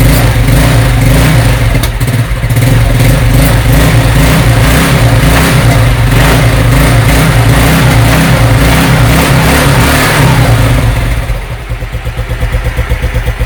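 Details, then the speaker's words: Scooter (SP 110c) that was hard to start, especially on cold mornings, after cleaning and refitting the carburetor: starts on one click, revs up and down cleanly and settles to a steady idle with no stumbling or misfire; healthy running. "Yan po one click na po siya andar na"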